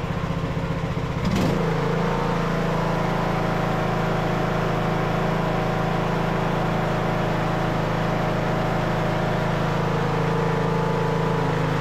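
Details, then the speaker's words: Craftsman LT2000 riding mower, almost 20 years old, new carburetor, choke on, temporary air filter: a brief pop at start-up, then a smooth, steady drone with no misses or surging. The earlier low-rpm pop was blamed on running without a filter; runs healthy. "I just temporarily put this up filter in place it's not the correct one but it had a little bit of a pop at the low RPM it's because it didn't have a filter on it can hear it now it's running running great"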